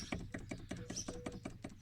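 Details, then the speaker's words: Removed front wheel bearing from an Audi A6 (C7) 3.0 TDI V6 Quattro, turned by hand. It gives rough, gritty clicking pulses about five times a second, confirming a worn wheel bearing. "Right, well, I'm pretty certain now it was the bearing. If you can hear that,"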